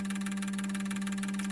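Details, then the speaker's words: Injector set from a 2002 GM 6.0L LS drive-by-cable engine on a cleaning machine at 58 psi stock factory fuel pressure; steady pump hum with quick, even ticking about fifteen clicks a second. Normal injector cleaning cycle. "I'll probably run it through 20 minutes per cycle. For the set of injectors, I'll run it for 20 minutes."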